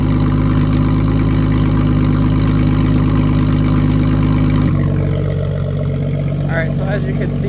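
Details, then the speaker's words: Jeep idling to warm up on a very cold, snowy day just after a dead-battery replacement: catches and holds a steady, even idle, dropping to a lower smooth beat after a few seconds; no stumbling, healthy. "It is very cold, so I'm going to let it warm up right now, and then we're going to be heading out"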